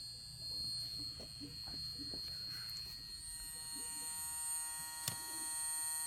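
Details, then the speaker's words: DC-only Kansas City Southern 2001 locomotive standing still on track set to DCC (DCC-EX), giving a steady high-pitched buzz; another loco, 9120, is humming nearby. "the Great Ghost Kansas City Southern 2001 is also buzzing why because the tracks are set to DCC"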